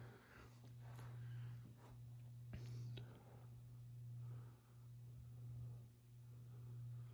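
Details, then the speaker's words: 1986 CEI (Compass East Industries) Hugger HC-52 52" ceiling fan, with its worn-out bearings replaced by a used set, running on low: a low steady motor hum with a gentle swell and no grinding, ticking or rattle. A slight jerk comes from the mount, which is missing its isolation piece. "So, with that being done, the fan runs as good as it looks. So, let's go ahead and show that off. Start it up here on low."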